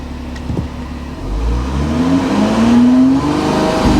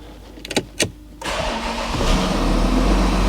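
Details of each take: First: Volkswagen Touareg bought half repaired, transmission slow to engage until about 3,000 rpm: revs then turn choppy with stumbling pulses under load; engine misfiring before dropping into limp mode, scan planned. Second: VW Touareg diesel, first start after sump refitted, no coolant, intercooler pipe issue noted: short crank, catches at once, settles into steady even idle with no misfire, knock or rattle; healthy first start.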